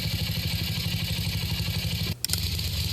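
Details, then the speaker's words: 1966 Simplicity Sovereign tractor, Briggs points-ignition engine, idling about 20 minutes after start. Slow, steady low thumping with one short dip gives a nice low idle; owner suspects a slightly leaking head gasket. "There's the coil. That's a nice low idle."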